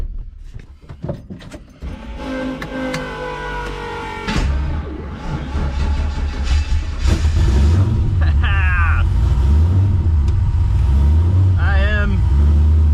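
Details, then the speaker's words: Barn-find Ford Mustang that had sat for a while and not run: a few cranking turns, then it catches and settles into a steady, loping low rumble, staying even as it warms up. "looks like it's back from the dead like it never left let it warm up a little"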